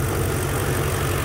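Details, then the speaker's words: BMW E46 with an M62 V8 swap, at idle: smooth, steady low burble with the fuel injectors clicking and no rattle or knock. The previous knocking from the left bank is gone, so this is a normal idle. "um the rattling noise is gone um what you can hear now the fuel injectors clicking away the actual knocking sound that was coming from the left bank is gone so i'm happy about that"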